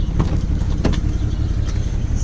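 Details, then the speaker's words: 2008 BMW 335xi coupe, ~88,000 miles, cold start morning idle: uneven, lumpy beats; small misfire with injector tick, smooths when warm; scanner flagged cylinders 4 and 6, owner changed coils 4 and 6. "it does have a small misfire I could hear it a little bit of an injector tick I set your Eiling rough right now I could hear it sounds like a [ __ ] weird"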